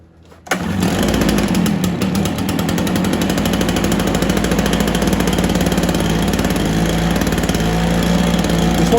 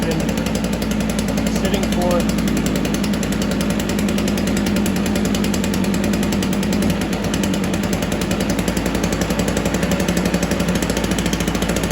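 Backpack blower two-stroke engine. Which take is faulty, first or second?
second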